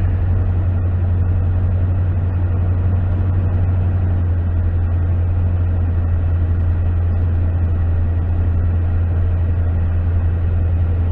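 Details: 2009 Toyota Tundra V8 after knock sensor wiring harness repair (rodent-chewed), check engine light went off: deep even low hum, no ticks, knocks or surging; normal idle.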